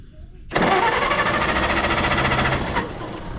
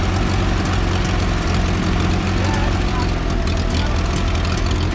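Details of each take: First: 1960 International tractor, gasoline, cranking after it started, ran and died: steady cranking churn for about two seconds that never catches; no-start traced to an empty fuel tank. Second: 1960 International tractor after adding fuel: loud, steady low engine drone with even beat and slight pitch shift midway; runs smoothly, normal running.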